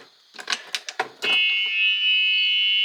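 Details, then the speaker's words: 2010 Club Car Precedent gas golf cart, key on and shifted, won't start: a few clicks and knocks then a steady high electrical buzz; battery and fuel good, new solenoid didn't fix it, cause unknown. "sometimes you'd push the pedal down and nothing would happen although even if you had the key on and you shifted it you can hear it buzzing in"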